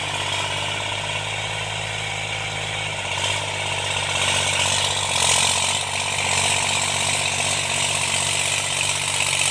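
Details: Tractor diesel cultivating after an engine-knocking repair: steady drone pulling evenly, note dropping slightly as load comes on, no knock or miss, running normally and healthy under load.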